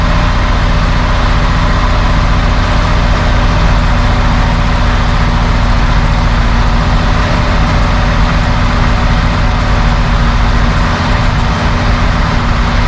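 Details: 1971 Mercedes-Benz 280 SE (W108) six after its mechanical fuel injectors were cleaned and bench-tested: steady, even idle with smooth low rumble, no missing; a little smoke, possibly running slightly rich; sounds good.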